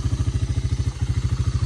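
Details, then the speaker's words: Honda FourTrax TRX300 ATV, auction machine revived with new carburetor and battery, idling after a 15-minute ride: even single-cylinder putter of about thirteen beats a second, no misses or rattles; clean, healthy idle. "well I just took it for about a 15minute ride and this thing is running perfect this thing is running perfect"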